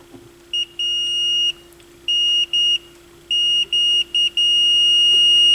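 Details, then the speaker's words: Sony PS-X70 turntable with hum and a lost channel, continuity-testing the left RCA cable while flexing it. Tester tone drops out irregularly, showing an intermittent open circuit in the left conductor; cables being replaced. "left okay so left is intermittent oh maybe not trying to get it to cut out is what I'm trying to do"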